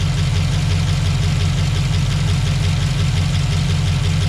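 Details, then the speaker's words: LQ4 6.0 V8 in GMC, first start after Texas Speed ported 317 heads and 224/228 .600 lift 112 LSA cam install, untuned, steam burning off, idling down: deep steady idle with slight rhythmic lope about three pulses a second; cam lope audible. "So far so good. Starting to idle down a little bit."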